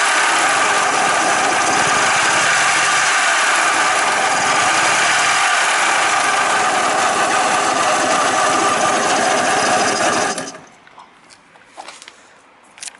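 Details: Suzuki Mollet engine running with a loud, harsh mechanical clatter on a steady beat of about four per second, then the engine cuts off; abnormal engine noise.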